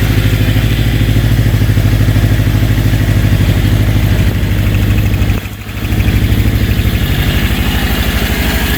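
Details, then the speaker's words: Honda CB750 K2 four-cylinder at idle before carb removal: a lumpy, uneven beat with occasional stumbles, running on 3 or maybe 2.5 cylinders; ignition (new electronic system) ruled out, carburation suspected; header pipe temperatures differ between cylinders. "This poor old girl's only running on 3 pots at the moment, maybe even 2.5."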